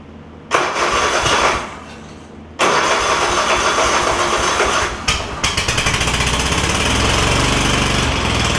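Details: Craftsman DYS4500 lawn tractor, Kohler Courage V-twin with failing 12-volt ignition coil system and trashed wiring, no spark on one cylinder: engine catches, then runs lumpy with a stumbling uneven beat; misfire, one cylinder dead.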